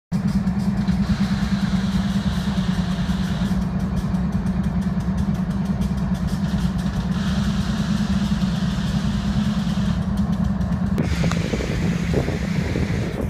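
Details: BNSF diesel locomotive stranded in Boulder, idling with an uneven, stumbling misfire and a brief hiss; owner suspects a blown air compressor, cause not confirmed.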